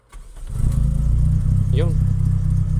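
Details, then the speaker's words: 1992 Toyota Corolla 16-valve, which had been hard-starting and stalling when the accelerator was released, after spark plug service: cranks and catches quickly without throttle, then settles into a smooth, even idle that keeps running; starts fine. "ngayon hindi na okay tapos wala ng putok Okay is pa kahit hindi ako mag accelerator ay Pao dapat Gan lang siya start"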